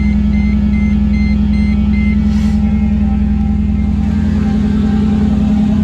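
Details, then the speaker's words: Mercedes C55 AMG V8, first start after relocating the battery to the trunk, in neutral: fires up and holds a deep, smooth, even idle with no misfire, tick or stumble; normal start and idle. "now let's try to start it up all right here we go first start everything came on put it in neutral"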